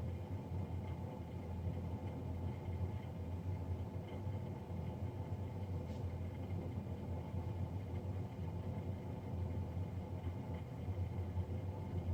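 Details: Navien NCB-240 boiler recorded three days after a Jan 31, 2020 service: steady low droning roar with constant hum, no change in pace; fan noticeably loud, cause unknown.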